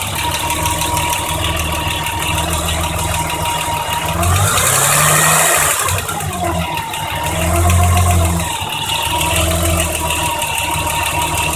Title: BMW m20b25 noise after valve adjustment